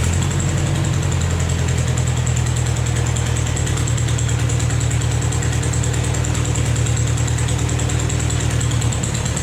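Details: Vermeer 630A stump grinder after rebuild, with a rerouted fuel pump line feeding the carburetor and replacement choke cable: engine holds a steady, even chugging idle about three beats a second with no stumbling or surging; running properly.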